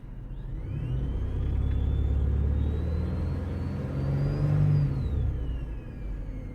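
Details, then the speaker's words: Car accelerating: a thin whine climbs in pitch with the engine and drops off when the accelerator is released; the mechanic first thought it was the alternator, then doubted it. "now I don't know if you can hear it's like a whining noise like a like a it drops off when you let off of the accelerator"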